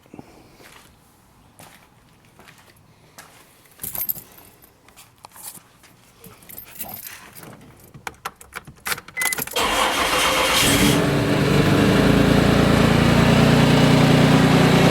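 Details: 1995 Isuzu Rodeo 3.2 V6 at about 151,000 miles, idling with a steady, quick knocking tap that eases around 2500 rpm. It is felt more on the driver's side near the timing belt. The oil change showed no metal, and the timing belt and tensioner were reportedly replaced. The owner suspects timing belt slap or the tensioner but fears rod knock.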